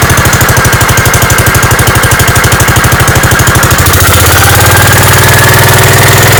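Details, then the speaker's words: Gravely 5665 running on newly installed Chinese carburetor, mixture screws at 1.5 turns, air cleaner fitted, unloaded: even single-cylinder beat about three per second, then picks up smoothly to higher speed; healthy run, load test still pending. "oh sweet that ran like a champ obviously I got to put it under some load and see how it does then but that sounded that sounded perfect"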